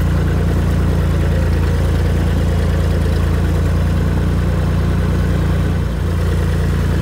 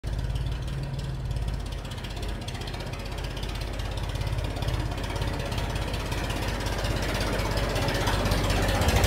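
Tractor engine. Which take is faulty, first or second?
second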